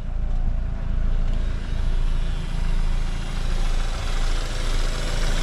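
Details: BMW F30 bought cheap from Copart, 6,000 miles, just started after a long effort: low idle rumble that swells and fades roughly once a second with an uneven note under it; odd idle noise, cause unknown.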